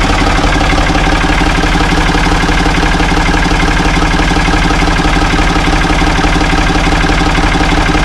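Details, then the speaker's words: Ford 445 diesel tractor, thought to be a 1970s model, bought at online auction: even diesel clatter at a steady idle, firing beats regular with no misses or stray knocks; it starts and runs well. "I think it's going to be a good tractor though. It starts up good, runs good."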